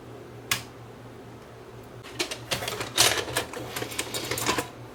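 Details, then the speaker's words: JVC HR-D725 Hi-Fi VHS VCR with no-load/no-play complaint: accepts the tape, mechanism whirs with scattered clicks, then stalls before loading completes and shuts off; loading belt likely slipping. "so it does accept the tape and it doesn't finish the loading cycle and that shuts down more than likely the voting belt is bad"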